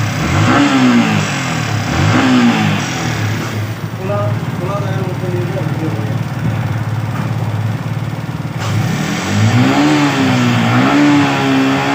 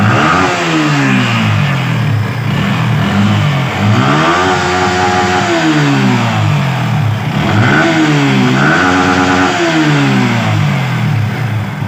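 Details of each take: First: Yamaha R15 V3/V4 single-cylinder engine with a suspected engine/VVA sound problem: revved up and down, rough uneven note under the changing pitch; abnormal engine noise, cause unclear. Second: Yamaha R15 V3/V4 single-cylinder bike, checked for engine and VVA noise: blipped repeatedly, revs climbing and dropping cleanly with no knocks or rattles, smooth and healthy.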